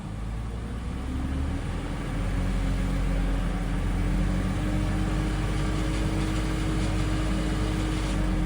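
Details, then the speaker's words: BMW X5 E53 M54 3.0i automatic, slightly warmed, crack found in flexplate (torque converter drive plate): loose rhythmic knocking around 2000 rpm when throttle blipped; cracked flexplate, plate replacement planned. "Но если немного нажать на газ, в районе 2.000 оборотов появляется вот этот вот стрикощий построенный звук от пластины."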